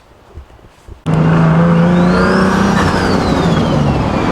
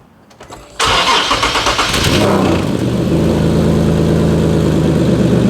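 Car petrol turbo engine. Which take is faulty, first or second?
second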